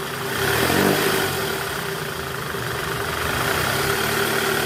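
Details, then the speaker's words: 2008 Toyota Camry 2.4 V, 2AZ-FE engine, in reverse at about 1200 rpm: steady rough growl with faint hum from the belt tensioner whose spring is weak, letting it flutter; also occurs under load; fixed by replacing tensioner. "ran RPM 1200 ya posisi R bunyinya krok itu dari Tensioner Jadi pegasnya udah lemah"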